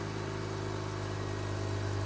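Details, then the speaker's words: Mazda RX-8 rotary after replacing ignition coils for P0300 cylinder 1 misfire, just started after sitting, fast idle dropping from 2000 toward 1500 rpm while warming; smooth steady, no stumbles or misses. Normal idle. "i don't know if this is too soon to say but this sounds smooth like this sounds like very smooth idle"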